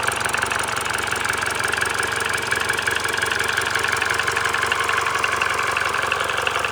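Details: Mini Cooper R56 1.6 122 hp N16B16A, 180,000 km, cold start fine, then ticking/clattering during warm-up, roughly three taps a second, with jerky throttle response; nearly gone when warm, no fault codes; timing chain, VANOS, plugs and coils already replaced; cause unknown.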